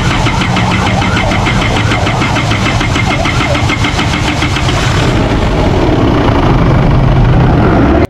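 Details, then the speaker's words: Isuzu D-Max 4GH1 diesel, converted from semi-electronic to mechanical injection, before repair. It has had hard starting, white smoke and a rough idle with the aircon on since the conversion. Several seconds of uneven starter churning before the engine starts; slow start. "pag-convert pa lang nito is unang kuha pa lang ng may-ari is ganito na siya, hard start at saka white smoke at saka medyo palya yung minor mga boss pag naka-aircon."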